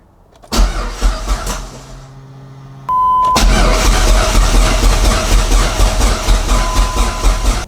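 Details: Dodge SRT-4 at first start after Walbro 255 fuel pump and fuel canister install: starter churns about two beats a second without catching; crank, no start attributed to a faulty injector.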